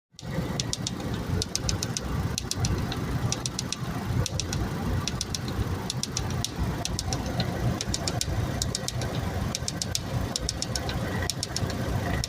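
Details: 2002 Honda Civic engine running with sharp, clustered ticks over a low rumble, repeating about every second; an unexplained engine knock, cause unknown.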